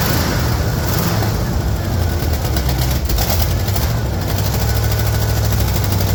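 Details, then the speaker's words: 1974 Ford F-250 with 464 V8, unrun for a couple of years, started after 10–15 pedal pumps: deep, steady rumble idling evenly with no knocks or misses; normal idle. "but that was pretty good she hasn't run in a couple of years well it was a 10 15 pumps and she started it right up"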